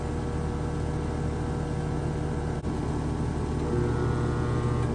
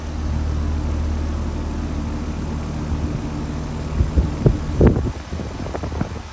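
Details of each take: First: Home AC outdoor unit on an 89-degree day, AC not cooling: a steady low electrical hum with no spin-up as the compressor tries to start but fails; a faulty capacitor is suspected. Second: Home AC outdoor unit, back on after diagnosing a faulted run capacitor (30/5 replacement planned), cover temporarily fitted: steady low hum from compressor and fan, a few handling knocks near the end, blowing hot air. Normal running.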